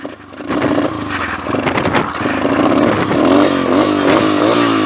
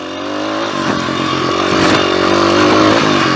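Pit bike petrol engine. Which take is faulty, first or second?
first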